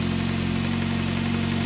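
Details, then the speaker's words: 2006 Ford Focus ZXW wagon, 105,000 miles, after replacing the squealing idler pulley, the belt and the tensioner pulley: smooth steady idle with an even low hum and no squeal or chirp from the tracking belt; normal idle. "Sounds pretty good for what it is. So I guess we fixed it."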